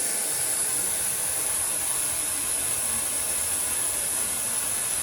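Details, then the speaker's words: Air conditioner on 410A with 0 psi on both sides, pressurized with nitrogen through gauges: steady high unbroken hiss for several seconds then cuts off, gas escaping through a hole rubbed in a refrigerant pipe by an adjacent fill-port pipe. "I've connected the nitrogen tank to the ports through my gauges, and it turned out that I had a leak. You could hear it audibly."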